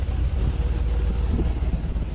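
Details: 2003 Nissan 350Z with P0300 and cylinder 1 misfire at idle, after new manifold, cam sensors, coils and NGK plugs; deep lumpy stumbling rumble, also heard at exhaust; test pipe found leaking badly before O2 sensor, which can cause lean misfire.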